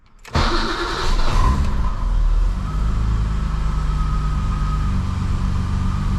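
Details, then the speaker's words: BMW E28 535is (M30) after ignition wiring replacement, warmed up (misfire and stutter at low RPM mostly when hot): quick crank and catch, brief flare, then even steady low idle with no choppiness; runs smoothly. "All right, so we let the car warm up and good thing we did because before the exhaust did sound a little choppy, but we're looking absolutely great now."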